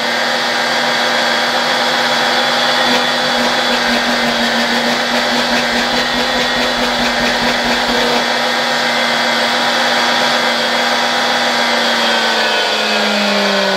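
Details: Vacuum cleaner motor on a 1992 Ukrainian RS-6-220 triac voltage/power regulator: steady high whine with bright airy rush, pitch sliding as the regulator changes speed; runs normally.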